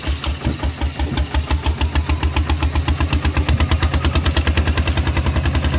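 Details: Steel-wheeled tractor ploughing a rice field with a loud replacement exhaust pipe: sharp, loud, evenly spaced exhaust barks around eight a second over a deep thump; the open pipe is very loud under load.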